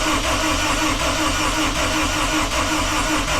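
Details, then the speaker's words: 1974 Alfa Romeo GTV with an S2000 engine swap and 6-speed, first crank after sensor checks: steady cranking that seemed a little slow (weak battery first suspected) with no firing; a no-start. "Now, initially I thought that this sounded like it was spinning a little slow, like the battery is a little weak."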